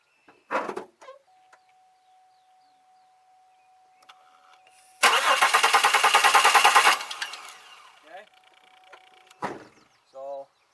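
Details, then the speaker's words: 2002 Chevy Malibu no-start with the rear crank sensor unplugged: engine cranks at even, steady beat for about two seconds without firing; no spark, confirming the crank sensor works; fuel delivery or injector problem suspected. "saw we did not get spark which the minute I plug this in we will get spark"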